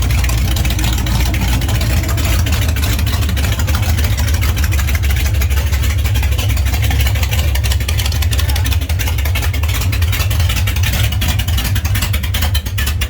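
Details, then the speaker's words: Freshly built 21-stud prewar Ford flathead V8, Winfield cam, dual-carb Arco manifold, custom headers, first startup: deep loud lumpy idle, steady with no knocks or misses; healthy idle. "Holy crap, my heart is racing like a freighter. That thing sounds wicked. It needs no pipes."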